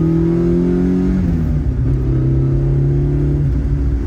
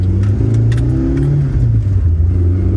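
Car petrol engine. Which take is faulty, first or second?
second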